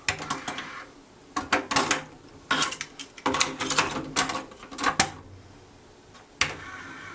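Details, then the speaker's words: JVC TD-W717 dual cassette deck during playback: irregular sharp clicks and light clatter bursts from the tape mechanism over a quiet background, no steady rhythm; source of the clicking undetermined. "let me take my most favorite cassette gar Stak now it also has this clicking noise"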